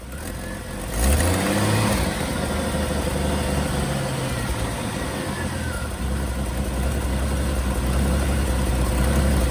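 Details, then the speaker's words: 1988 Jeep Wrangler YJ 4.2L AMC 258 straight six, Carter BBD, cold start after new plugs, wires, cap and rotor (had run on 2 cylinders): brief crank, catches, low fairly even idle, slightly rough warming up but smoother. "This thing is not great when it's warming up. It did sound a lot smoother though."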